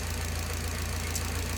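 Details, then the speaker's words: Nissan 240SX S13 SR20DET, warm idle, timing 15°, AAC at 10%: low smooth drone with faint soft knock; O2 feedback locked on rich instead of switching; other sensors unverified despite many replaced parts. "the FBO to lean things should be going back and forth but it's just locked on rich"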